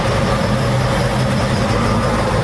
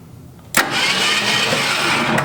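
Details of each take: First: 1966 Ford Mustang, first start, low on antifreeze: low, steady, quiet idle with an even beat and no knocks or ticks. Sounds healthy. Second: 1966 Ford Mustang project first start: a sudden burst, then steady cranking about two seconds that never catches; spark present but ignition points barely open, badly gapped or worn, needing adjustment or a new set.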